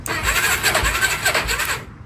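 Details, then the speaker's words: Quad that sat for years, after replacing a non-working starter relay (solenoid now clicks, neutral light faint): starter turns engine slowly and unevenly under two seconds then stops; owner suspects the battery is very dead. "I think the battery is just really dead. But it does work."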